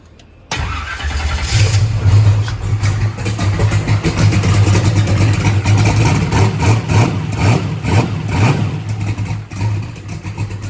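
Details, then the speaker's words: Drag race car with Holley EFI, restart after TPS auto-set; engine catches at once and settles into a steady, deep, even run with no misses or knocks. No-start was the throttle position sensor, not the fuel pump: normal running. "so i am very happy that it was an easy fix the fuel pump is not screwed up it was just the throttle position sensor"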